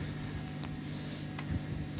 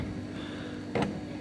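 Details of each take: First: Silhouette Cameo 3 cutter after disassembly of the loading/unloading roller drive, base plate refitted: light motor hum and soft stepping whir with no knocking or grinding; roller drive now runs smoothly, noise gone. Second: Silhouette Cameo 3 cutter, loading/unloading roller that jams occasionally going forward: faint motor hum then two sharp clacks as the roller shaft binds and stops spinning, possibly misaligned — roller drive gear jamming.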